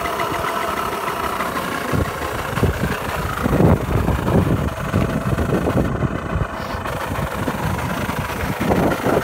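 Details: KSR50 starting up with abnormal engine noise; small single chugs at idle with uneven, ragged knocks breaking through the exhaust beat, cause not yet identified.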